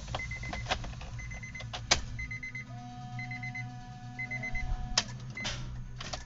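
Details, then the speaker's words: Honda Brio at the start button: repeated short high beeps and light clicks, with no cranking. The battery is weak or dead and too weak to start the engine, so it will be replaced. "kondisinya seperti ini ketika daya untuk memulai sudah tidak cukup kuat lagi untuk sekadar menekan tombol, maka mesin tidak bisa menyala. Jadi kondisi ini terjadi karena baterai lemah atau sudah habis."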